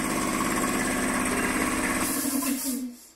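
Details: Air compressor started on a Vevor 5500W (EM 5500-48L) inverter from battery only: brief start surge, then a steady chugging pump beat before winding down; the inverter handles it fine.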